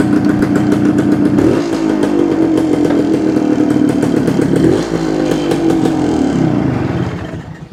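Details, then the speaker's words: 1972 Suzuki TS250 two-stroke with a fuel delivery problem, test run with the 170 jet left in: revs climb, then sag and stumble on throttle; still not taking fuel; owner thinks he'll change the plug and try again. "sounds better but it's it's still not taking the fuel I'm I think I'm going to change the plug and try it again"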